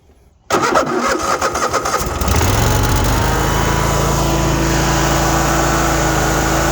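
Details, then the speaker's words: Cub Cadet RZT 54-inch zero-turn mower, 450 hours, started with the choke fully forward. A few seconds of clattery cranking, then it catches and settles into a steady even idle with no smoke, misses or knocks. "No smoke or noises that shouldn't be happening. Good smooth running motor."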